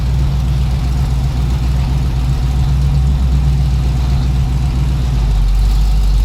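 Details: 1981 Cutlass Supreme small-block Chevy V8, outside after valve hot-lash, correct plugs and timing/HEI fix: a smooth, settled, even idle with no ticks, misses or knocks. Normal idle; owner suggests a slightly richer tune or more warm-up.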